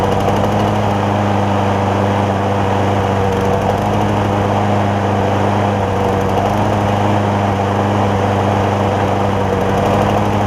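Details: John Deere JA60 push mower, carb jet opened to 0.009 in: fast steady even buzz, no surging or popping; no longer lean, oversized jet leaves it slightly rich, 0.008 in jet planned.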